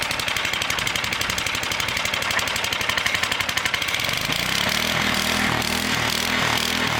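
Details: Small single-cylinder engine of a homemade 12V generator, started on fuel and choke to charge a car battery via jumper cables, no exhaust fitted: barks into life then loud rapid raw popping; missing exhaust muffler.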